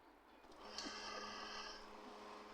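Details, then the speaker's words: HP LaserJet M1005 MFP after freeing a stuck lock at the rear that made the motor hum: smooth, even motor whirr with light high-pitched running tone, no humming; normal operation. "Printer ये हमारा running condition में without humming."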